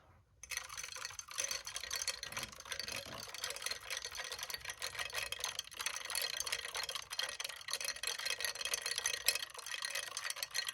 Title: Xbox Series S Rattling Noise